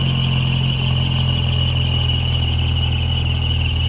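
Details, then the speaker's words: Jeep YJ Wrangler 2.5 fitted with upgraded fuel injectors, at idle: a thin steady high squeal over a smooth low rumble as the accessory belt slips on a damp day; the engine stumbles afterwards, possibly from running rich, which the injector swap did not cure. "don't mind that little belt you can see it's a little bit a little bit of moisture day when there's a little moisture that belt squeaks a little bit"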